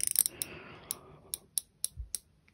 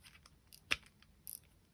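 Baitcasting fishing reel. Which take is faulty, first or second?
second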